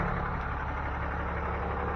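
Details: 6.7 Cummins turbo diesel, started after an engine fuel filter change and priming by cycling the key, no leaks found: steady even diesel clatter at idle with no misses or surging; normal idle.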